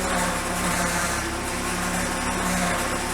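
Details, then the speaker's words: 1987 Ford Sierra RS Cosworth, left-hand drive, with a power steering leak; engine idling with steady wavering whine as the pump runs a little dry despite topping up fluid; pump needs removing and rebuilding. "it's not good. I know it's running a little bit dry. I've been putting fluid in it, but it's got to be pulled out of there. This thing's got to be redone."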